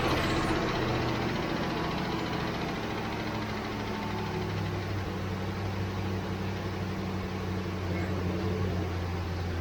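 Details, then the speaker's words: 1967 Ford Mustang carbureted V8, sat for months, after adding about 2 gallons of gas: steady, smooth low idle rumble without stumbling; running much better, lack of fuel likely the problem. "Well, that must be what it was, because that's a lot better."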